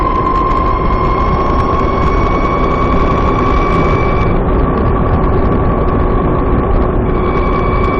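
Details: VX1 warmed up, climbing a small hill at lower speed under load: steady high-pitched chirping whine over road noise. Suspected transmission chirp, louder once the transmission is warm, starting around 30 mph.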